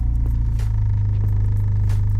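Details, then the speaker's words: Rare Copart-auction project car driven slowly on the road; deep, loud, steady drone with hardly any muffling, exhaust nearly straight-piped. "I don't want to drive this too quick it's quite noisy and a lot of the people around there are Caren so I've got to be really careful cuz it's it's pretty much straight pip"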